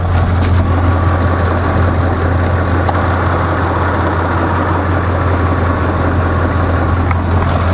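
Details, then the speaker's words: 2005 Ford F150 5.4 Triton, not yet fully warmed up: steady engine drone with a faint light tick underneath, usually heard in the wheel well, getting worse as it warms; cause not pinned down. "now it's not quite fully warmed up yet but it's already starting to get the noise and you can normally hear it in the wheel well"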